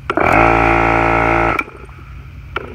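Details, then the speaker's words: Husky 8-gallon 150 psi 1.8 hp air compressor at about 75 psi on a 50 ft 10-gauge extension cord: loud hum that stops without the motor spinning up; stalls on restart about half the time, owner suspects insufficient power reaching it; second unit doing this. "half the time you try to turn it on, it locks down. It ain't got enough power going to it. Look, now nothing happens."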